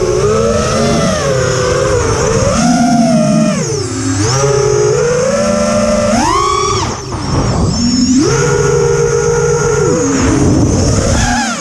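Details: Quadcopter with new TBS Bulletproof 25A ESCs (from LittleBee 20A, signal cap removed), DShot 600, Betaflight 3.1.0-RC5. Motor whine climbs and drops with throttle, with a buzzy warble on top. The sound stays after demag, timing and DShot 300 changes; cause unclear.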